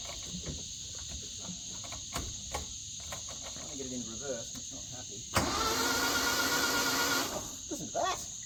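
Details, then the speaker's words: Flood-damaged Isuzu Gemini, cranked in gear after the differential was refilled with old fluid: scattered clicks, then a sustained strained starter whirr that never catches. The gearbox is suspected to be partly locked up. "oh that gear box might be a little bit more locked up than we thought"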